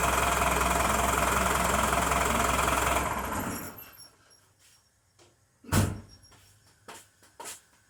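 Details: Diesel with a VE-style injection pump, just after its injection timing was advanced using a timing tool and dial gauge, idles with a steady, hard rattling knock for a few seconds before shutting down; sharp injection clatter, idle may still need adjusting.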